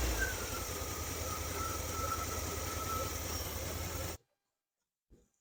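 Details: 1978 Chevy K10 305 V8 after valve-train work: the valve ticking is gone, but the idle is uneven and lumpy, still running rough and timing seems far advanced. Owner suspects a vacuum leak, miss or timing. Rough running.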